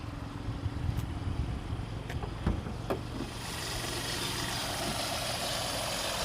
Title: Hyundai i20N line,Strange Noise From Engine?? #automobile #mechaniclife #repair